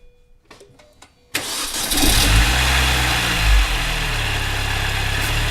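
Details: 2003 MINI Cooper S R53, after Alta Performance cold air intake install: a few clicks, then catches and settles to steady idle with a brief rev and throaty intake note; healthy.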